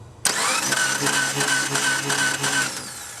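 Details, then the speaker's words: 2005 Subaru Forester 2.5 L SOHC engine that cranks but won't start: starter spins fast and light with an even whirr, no firing or compression drag; typical of a broken timing belt, confirmed along with leaking head gaskets. "okay so to me it sounds like we have a broken timing belt um this is a 2.5 liter single overhead cam engine still has the timing belt set up not quite new enough for the chain but it sounds like a typical broken timing belt"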